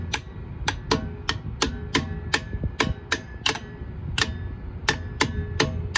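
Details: Vornado fan on low, suddenly knocking. Sharp, irregular ticks about twice a second over a faint hum; the owner thinks it is a bearing noise, possibly dry, not electrical.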